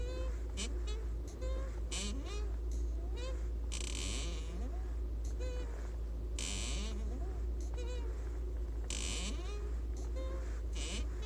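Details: Lada Vesta 1.6 (106), VAZ gearbox, about 6,700 km, half a year old, squeak began a month ago: short rising squeaks about once a second with each clutch pedal stroke; squeaking clutch pedal, dealer silicone spray tried twice.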